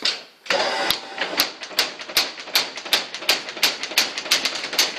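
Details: Restored Vernet power hammer, flywheel belt-driven crankshaft: sharp, crisp metallic blows land steadily about three a second. The hammer strikes cleanly and runs normally.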